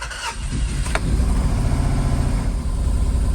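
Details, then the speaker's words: Freelander V6 petrol first start after cambelt, pulley and timing repair catches and settles into a lumpy, uneven misfiring idle, not firing on all cylinders; belt appears very tight. "And as you can hear, it's definitely misfiring. Checking the exhaust, showing it's not firing on all cylinders."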